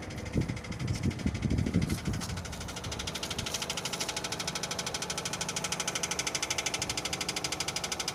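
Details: Renault Scenic 2, K4M 1.6 engine with automatic gearbox, 202,000 km: steady fast ticking knock about three per second over the idle, coming from the lower engine and appearing as the engine warms up; lower engine knock.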